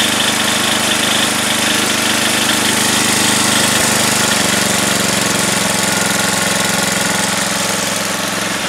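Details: Craftsman 10 hp, 28-inch snowblower, cold start right after a carb kit and head gasket rebuild, started first pull. Still cold, the single-cylinder engine hums at a steady, even idle with no misfires or rattles. Normal cold idle.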